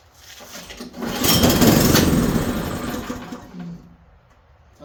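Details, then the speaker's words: Snowblower small engine, throttle on high with choke, fuel clean and tank half full, catches and pops unevenly about four a second, swells then dies within three seconds; sputtering run and stall, owner wonders about fuel shutoff, cause unclear. "it's running out of gas doesn't it choke on this"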